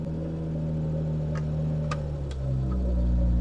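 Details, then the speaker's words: Revived barn-find Austin Princess 2200 automatic, cold start with choke adjusted: steady even low hum that settles and rises smoothly as choke comes off, no knocks or misses; normal cold idle on choke. "a bit of Choke bit more choke there we go a little less"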